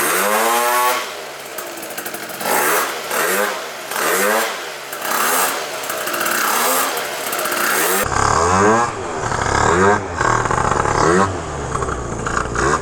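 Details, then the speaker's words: Malaguti Phantom F12 scooter, 70cc two-stroke with Stage6 MK2 kit and Yasuni C16 pipe, after fitting a smaller carb pilot jet because the plug read rich: sharp revs rising and falling without bogging; sounds crisper and leaner. "definitely sounds way more crispy and lean for how bad this rear shock is too"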